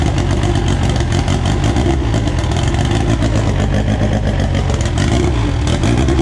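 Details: AWD EG turbo build first start on a borrowed 2000cc-injector tune: strong, even exhaust note picking up cleanly on throttle, no misses or knocks; good oil pressure, sounds healthy and peppy.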